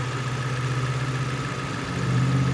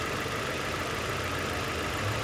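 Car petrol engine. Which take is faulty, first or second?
second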